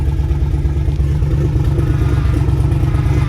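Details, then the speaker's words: Twin-turbo LS V8 G-body on first drive, not yet boosting, just started and a little cold: deep lumpy V8 rumble holding a raised steady idle, normal cold-start fast idle; battery voltage holding good. "battery voltage holding good the car just started it's a little cold so the Hayek is kind of high"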